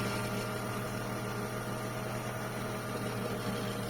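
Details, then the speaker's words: Mercedes 124 with M104 engine, first start after timing chain and crank pulley replacement for a head knock when warm: even steady hum with faint quick patter, no knocks or clatter; normal idle. "Ну вот всё всё собрано мотор работает первый запуск всё"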